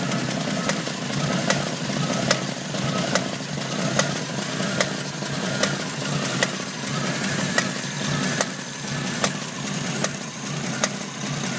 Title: Jeep CJ7 Knocking noise